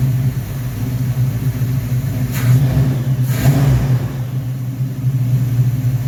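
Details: 1969 Corvette V8 first start after rebuilding its Rochester Quadrajet 7029202 carburetor (ethanol-damaged fuel bowl cleaned up): deep, even idle with a couple of quick throttle blips that rise and settle cleanly; normal idle.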